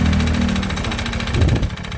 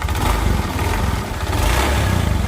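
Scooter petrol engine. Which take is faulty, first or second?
first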